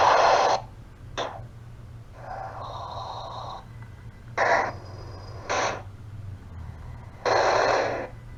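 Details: Cell phone call: instead of the normal ringback tone, harsh hiss bursts alternate with warbling double tones over a low hum; persisted after hanging up and calling back about three times, cause unknown.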